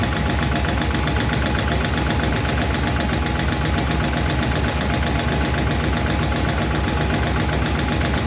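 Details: 1951 Chevy engine at idle after first fire-up and valve adjustment: loose rapid clicking about four per second over steady idle; number 4 intake and number 2 exhaust still ticking; valve lifter tick, owner may tweak those two.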